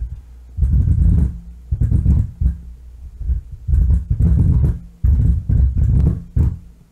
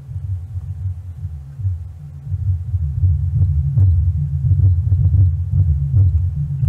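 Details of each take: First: power on i'm still hearing something [Music] wow that control is like really Second: Miller & Kreisel M&K MX-90 subwoofer amp, after replacing the defective bass level pot that caused a low rumble, driving a six-inch speaker: deep, clean bass pulses with no crackle, buzz or dropouts; working normally.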